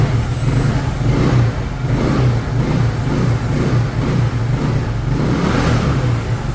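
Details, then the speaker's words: Yamaha Mio scooter after repair of lost compression (leaking exhaust valve and piston installed upside down): starts well, carburetor set, idle good; revs up cleanly and drops back evenly, quick throttle response, no misfire or knock. "Không tải cũng tốt, bộ chế hòa khí đã được thiết lập."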